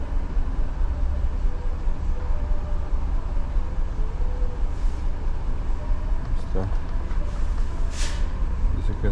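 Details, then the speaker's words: 2015 GMC Yukon 6.2 V8, misfiring after the customer refueled: low idle rumble with an uneven, stumbling beat; scan tool shows only cylinder 3 currently misfiring, with history misfires mostly on cylinder 3, code P0303. "Ok, pero ahorita solo el 3 está fallando."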